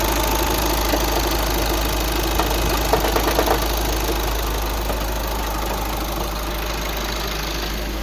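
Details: 2009 VW Tiguan 5N at steady idle with a fairly even knock about three times a second over the engine hum; engine knocking, cause not pinned down.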